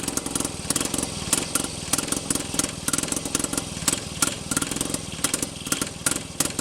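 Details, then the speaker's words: Rebuilt Penguin two-stroke engine test run, ignition switched to forward rotation: rapid, uneven popping bursts as it catches and stumbles, firing but not settling; nearly running, ignition timing close for forward. "okay so it sounds like it wants to run and that was forward so we'll flip our switch to reverse and try that sounds like our ignition timing is close for forward"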